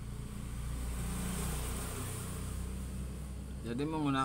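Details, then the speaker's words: Polytron refrigerator compressor, power reaching it but start winding open: steady low mains hum without the compressor turning, high amperage then trips the overload; compressor hum with overload trip. "ini startnya ini putus sehingga tidak bisa muter jadi hanya dengung saya coba lagi ini tapi tidak muter"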